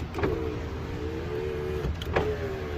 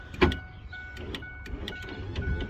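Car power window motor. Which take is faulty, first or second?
second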